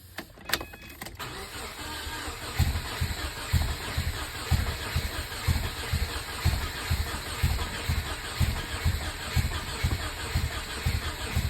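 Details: Subaru EJ257 engine, third start attempt: the starter churns slowly at about one beat per second, steady, but the engine never catches and runs on its own. Crank, no start.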